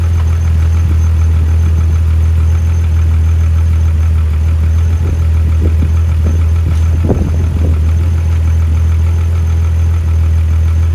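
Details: VW Mk3 VR6 on first start-up after a clutch, timing chain and O2J shifter swap, coolant topped off. A deep steady idle hum with a few brief clatters midway, then it settles into an even, unbroken idle.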